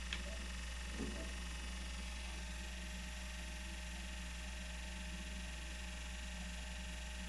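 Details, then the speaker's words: PS4 console that suddenly began making noise, loudest when a disc is inserted: low steady hum and hollow whir that never changes; abnormal whirring, cause unclear. "Do nada começou a fazer esse barulho aqui, ó. Não tô entendendo mais nada, cara."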